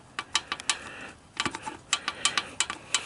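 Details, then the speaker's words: 1985 Honda ATC250ES Big Red, 20 years abandoned, valve cap off: sharp light clicks as the follower is rocked by hand; valve lash has free play, not too tight, so a stuck intake valve is not sealing. "valve lash is plenty loose enough that means my um my intake valve is not sealing properly"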